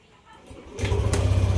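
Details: Yamaha Aerox 155 Keyless scooter with an error 12 (CKP sensor problem) no-start, after reassembly with error 12 still displayed: cranks briefly, catches cleanly and settles straight into a steady, even low idle.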